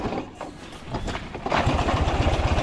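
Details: Buggy with VW Beetle hub, after wheel repair, push-start attempt while rolling: rough rhythmic chuffing as the engine turns over but never catches into a run; won't start by push, cause unknown.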